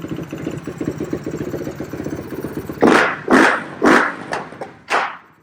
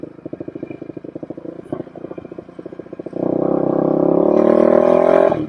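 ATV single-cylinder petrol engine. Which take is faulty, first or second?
first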